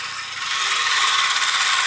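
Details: Kamco Saturn/Iron Man toy robot from the early 1980s, run after bending and scraping a battery contact so it pushes on the rod: bright, steady whirring rattle of small plastic gears for nearly two seconds, then stops; gearbox runs freely.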